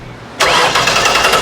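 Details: 2006 Ford Taurus with just-replaced salvage-yard engine, spark and fuel pump confirmed: starter spins the engine at an even, quick rhythm but it never catches; six fuel injectors stuck closed from old fuel, tapped to free them.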